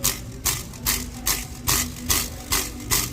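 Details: 2020 Ford Explorer ST intermediate exhaust flex pipe shaken by hand: sharp metallic rattle bursts ~2.4/s from accordion sections bouncing; TSB clamp doesn't fix it; customer hears rattle 1500–2500 RPM, wastegate chatter also suspected.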